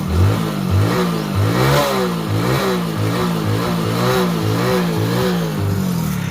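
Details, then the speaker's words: Hero Passion Pro after full engine rebuild, trial revving: single-cylinder engine with fast buzzing rattle following engine speed; cracked front number plate shaking up and down, no other noise from the engine. "ముందల number plate సౌండే వస్తుంది. ఇది ఇరిగిపోయింది కాబట్టి ఇట్లా కిందికి పైకి ఊగి sound వస్తుంది బర్ బర్ బర్ బర్ అని అది ఒక్కటే సౌండ్ తప్పించి వేరేది ఏం లేదన్నమాట బండికి ఒకసారి చూసుకుంటే మీకు అర్థమైపోద్ది."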